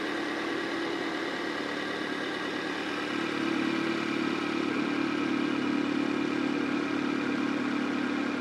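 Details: Honda CR-V (RD1) after replacing a burst small upper HVAC heater hose and refilling with water: steady, even idle, smooth drone, no knocks or misses; owner checking for head-gasket bubbling, water being drawn in.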